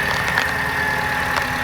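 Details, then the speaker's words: Mercedes C180 Kompressor W203, M271 supercharged engine, first start after head gasket replacement, in engine bay, coolant low: steady idle with uneven puffing chuff and faint whistle; sounds not great, owner suspects possible exhaust leak. "I have no idea what this thing sounded like in the engine bay before I did the job. So hopefully it's supposed to sound like that, which in my eyes isn't great."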